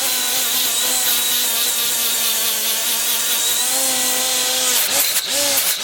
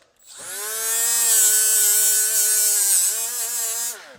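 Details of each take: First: Milwaukee 90-degree die grinder (part 2485-20) with a Scotch-Brite surface-conditioning wheel removing gasket: steady high whine sags slightly as the wheel bites and recovers without stalling; running fine. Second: Milwaukee 90-degree battery die grinder (part 2485-20) on power level three with a flap wheel: high steady whine sags in pitch as it is pushed into the work, then recovers; grinder bogs and stalls under load.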